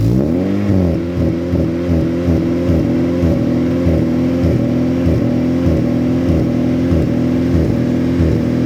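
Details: Modified Acura RSX K-series before tuning, with larger throttle body, ported intake manifold and lightweight crank pulley: throttle blip, revs hang high and settle slowly with an uneven pulse; rev hang suspected from the modifications, check engine light flickered.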